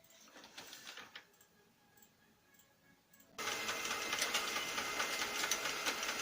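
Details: Lexmark X364dn printer: quiet at first, then a harsh, rapid rasping grind about twice a second once feeding starts. Replacing fuser, main drive assembly and running without cartridge didn't help; replacing the duplex assembly solved it.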